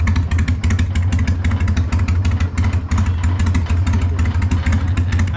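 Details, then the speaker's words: Freshly built Hammer Performance 1250 Harley Sportster (ex-883), baffles removed, before 50-mile break-in: deep loud open-pipe idle about three pulses a second, even, no knock; normal idle. "think I'm keeping the baffles out. Yeah. Sounds big. Making it shake. Damn. That sounds rad."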